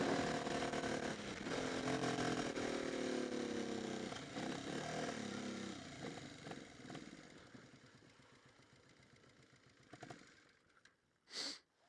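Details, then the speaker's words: 1988 Honda NT400 Bros 400cc V-twin on reserve fuel after hard riding: engine stumbles, thins out and turns ragged until it dies; owner suspects rust from the tank clogging the carbs, not confirmed. "Oh, it's running really slow. It's running like it's running out of fuel. I just put it in reserve, but there's probably a fair bit of rust in this tank as well, so I think the carbs are a bit clogged up, I think. Yeah, it's really not running well now at all."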